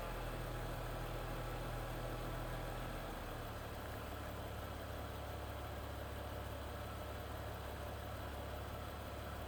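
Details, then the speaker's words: BMW X1 after the bad spark plug was fixed and codes cleared, warming up. The engine settles into a smooth, even rumble after a brief blip, with no misfire stumble left; running clean. "cleared the codes. Sounds so much happier. Let it get warm here."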